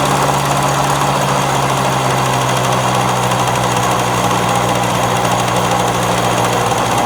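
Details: Victa two-stroke lawn mower that would not start when bought, now running: steady, even buzzing with no misses or surging, running cleanly and sounding healthy.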